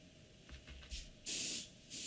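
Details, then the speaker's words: Airbrush after tightening slightly: soft hiss with two strong, clean bursts of air straight out of the front, no longer escaping from the top; valve sealing, airflow normal. "only place you should hear air is this sound if you're hearing it from here or in here then there's a problem okay"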